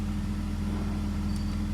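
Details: BMW E46 M54, after torque converter repair, in park: quiet, even idle with a low steady drone, no knocking or clatter; the previous foreign noise is eliminated.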